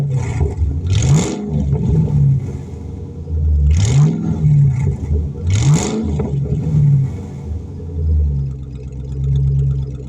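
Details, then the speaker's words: Mustang GT V8 with a cylinder 4 misfire code, after a timing chain job with unmarked coils refitted and a coil now swapped: revving in bursts with an uneven, stumbling beat. Bogs under load, then clears. Intermittent engine misfire. "still just not quite right i mean a little bit of a misfire there seems to clear out though kind of weird"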